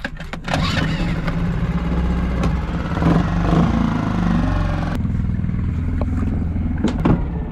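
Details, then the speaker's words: Small sailboat outboard that had not run for nearly six months, after the hard-start problem was fixed and the propeller refitted: it catches and settles into a steady low throb, revs rising and holding smoothly in gear. The gearbox is fine. "that is amazing i could not have done i can't believe that's working that engine that engine hasn't run for nearly six months"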